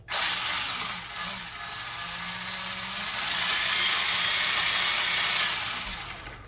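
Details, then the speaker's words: Vehicle with brand-new self-assembled rear ends during worn-parts replacement: fast, even ratcheting clicks over the motor whine; gears likely skipping in the rear end, possibly spinning. "Sounds like the gears are missing back here. They could be spinning."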